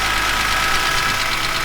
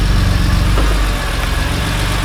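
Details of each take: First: BMW E46 M3 S54B32 after new timing chains, guides and tensioner, VANOS rebuild, oil pump, rod bearings and water pump; steady, even, quiet idle with no rattle or slap; normal idle. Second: BMW E46 M3 S54B32 with strange knocking at idle and a camshaft-crankshaft synchronization fault code: uneven, irregular knocking taps under a rough idle; attributed to worn rod bearings and a broken timing chain guide.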